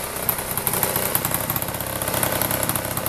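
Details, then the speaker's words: Honda Spree moped after repair, previously unreliable: small engine buzzing at idle with a fairly steady beat, no clatter or stalling; normal idle. "Listen to that baby purr. Woo, mama."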